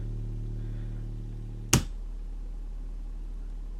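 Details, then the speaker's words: Aiyima P600 bookshelf speaker playing a bass tone. After switching, the buzzy overtone and front rattle vanish, leaving a pure, deep, louder tone. The rattle is suspected to be an air leak around the woofer phase plug, the same on both woofers, so not a defect. "Yeah, much better."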